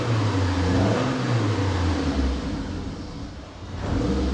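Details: Fully built 2-litre N7A 16v turbo engine (forged pistons, Garrett T34 turbo) on a base map, revved while checking oil pressure: deep even note swelling and easing with each throttle blip, smooth with no knocks or rattles.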